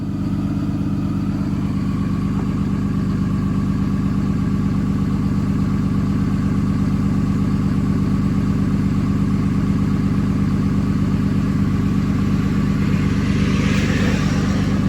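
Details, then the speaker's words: Early 2007 Ram 3500 5.9 Cummins G56 with about 326,000 miles, cold start at 31°F with the exhaust brake engaged: deep, even diesel thrum at a raised, steady speed with no misses; normal automatic high idle. "Oh, there's high idle. So that was just automatic high idle."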